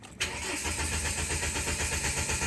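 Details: Mahindra Scorpio: starter turns the engine over with an even, quick chugging rhythm but it never fires or catches; crank-no-start condition.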